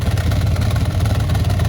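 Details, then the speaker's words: 1995 Impala SS with Blueprint crate LT1 355 and LT4 Hot Cam, after exhaust shop repaired most pipe leaks: deep uneven loping big-cam idle, no exhaust ticking. "Okay, back from the exhaust shop. It sounds so much better."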